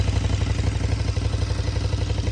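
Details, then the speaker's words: 2014 KTM Super Duke 1290R V-twin with over 57,000 km, at idle with the SAS removed: even idle with a light clatter on every firing pulse; owner suspects the valves or valve stems, top-end rattle cause unconfirmed. "Those rattles. We've got to get into these and find out what the story is with these valve stems, I think."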